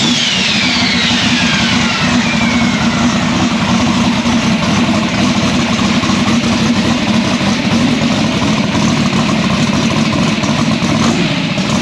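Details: Drag race Nova engine started after transmission reinstall and bellhousing and dump swap: fires quickly and settles into a loud, steady, lumpy V8 idle with no knocks or misses; sounds good.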